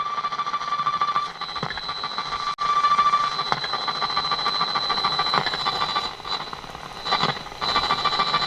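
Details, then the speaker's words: Roberts R600 early transistor radio after replacing AF11x transistors and capacitors in the Mullard module and main-board capacitors: harsh, crackly, ringing, uneven audio; distorted output, repairer suspects a faulty transistor, not confirmed. "No, see, it's distortion in that as well. So we've got a transistor gone there, I reckon."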